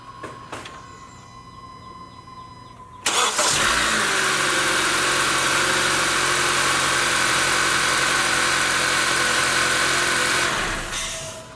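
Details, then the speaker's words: 2018 Honda CR-V, Earth Dreams 2.4 L, 150,000 miles, cold start after timing chain tensioner replacement: brief crank, catches and settles into steady even idle with no chain rattle; repair successful. Normal cold start. "When I started it up the first time, I didn't hear any rattle. Fired it up again just to ensure we replicated our results, and I don't hear any rattle, so this is a good repair."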